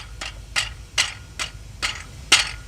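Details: Cracked flexplate, transmission removed, plate rocked by hand: seven sharp dry clicks about every half second; the same noise with engine running mimics bottom-end rod knock but is the broken flexplate.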